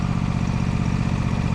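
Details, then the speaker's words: John Deere Z525 mower small engine after tune-up (air, fuel and oil filters, spark plugs, oil changed after 100+ hours in dusty conditions) runs with a steady, even low thrum, noticeably quieter, no knocks or misses: normal running. "kind of hear it already it's a little bit quieter so she needed that it had been a couple hundred hours since it been done so I'm happy about it"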